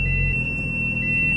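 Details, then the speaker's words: Project car reversing after a brake fix: high continuous tone with a lower beep about every second over low engine rumble; brakes now hold, but the parking sensors malfunction. "right the brakes seem to be working parking sensors not so good"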